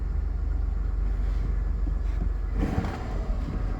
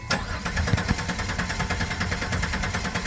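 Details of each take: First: 2000 Chrysler Sebring after fuel pump replacement, first start: low, steady idle rumble with an even beat and no misses, knocks or stumbles; engine runs fine, normal idle. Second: 2000 Chrysler Sebring cranks with a steady, even beat and never fires; the pump relay signal and electrics check good, and the old fuel filter was clogged. Crank, no start, traced to a failed fuel pump.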